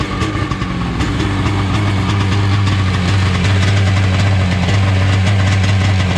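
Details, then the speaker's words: 1995/96 Seadoo XP 800 two-stroke idling just after a starter repair, during carburetor tuning ("not 100% perfect"), with a wiggle test: loud, deep, even burble without stumbling, a normal, healthy idle. "Little wiggle test. I don't know, it seems pretty happy."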